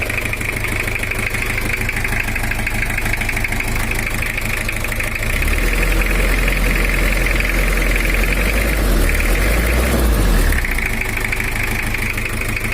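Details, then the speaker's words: Toyota Kijang LGX diesel, 2L engine, idling rough and uneven: sounds like one dead nozzle with a heavy thudding knock, plus a chattering valve-leak/compression-leak clatter; white smoke and blow-by from oil cap and dipstick; piston rings or head suspected. "Untuk suaranya sendiri itu ada semacam nozzle mati satu, ada gedebuknya satu. Terus suaranya terlalu kasar, tapi kalau di video itu kualitas suaranya beda-beda tergantung dari HP-nya."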